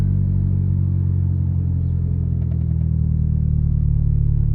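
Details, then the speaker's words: Ford Escort/Mercury Tracer (1991-2003) right after fuel pump replacement, starts on second try into a smooth, deep, steady idle with no stumbling or surging; normal idle. "There we go. That's a sound I haven't heard in a long time."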